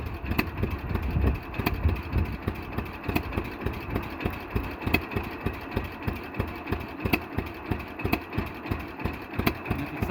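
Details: 1948 John Deere B two-cylinder tractor converted to propane (LPG), 40-thousandths plug gap, Chrysler starter: slow, uneven pop-pop lope about three beats a second that sounds ready to stall, which is normal idle for this engine.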